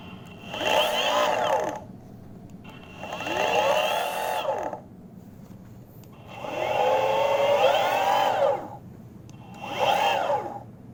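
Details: Boosted Board Mini X, each wheel held in turn: four short bursts of motor whine sweeping up and down in pitch with a rough buzzy edge; both wheels noisy, left louder than right.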